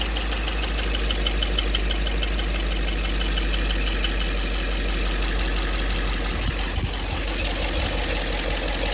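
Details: 5.3 V8 at steady idle with a light, fast tapping ticking along at roughly three per second; a valvetrain-type tap, cause not pinned down. Engine tapping noise.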